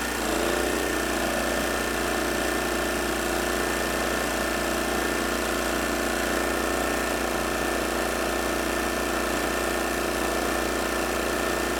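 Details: Troy-Bilt 900 W portable generator with a Briggs & Stratton 2.4 hp Vanguard engine, after a carburetor repair: steady, unchanging drone at constant speed at about 120 V with a 500 W load, no hunting. Normal running under load.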